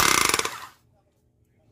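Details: Chipping gun run after replacing the connecting rod and piston ring or O-ring and heavy greasing: rapid, even blows at roughly twenty per second, then a clean stop. The hammer is working properly again.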